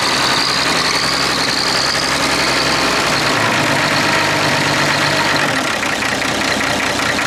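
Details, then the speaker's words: Clark Michigan diesel front end loader started cold: loud diesel clatter with an uneven, occasionally stumbling beat; runs a bit rough when cool, possibly missing on a cylinder. "She runs a bit rough on when it's cool, you'd be right."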